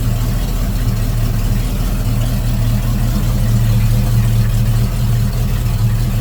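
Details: Volvo Penta 454ci V8 marine engine after swapping to an HEI distributor and reducing excessive advance: deep, steady burble at idle with an even low rumble and no misses or backfires; timing sounds right.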